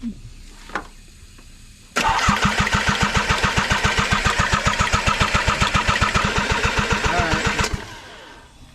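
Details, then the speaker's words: KA24DE-swapped Nissan 300ZX (Z32) on its first start attempt, after a fault where the ECU was not getting power was fixed and with the fuel pump running. The starter cranks in an even chug for about six seconds without firing. Cranks but no start; no spark suspected, or possibly out of gas. "Looks like we're not getting spark. It might actually just be out of gas."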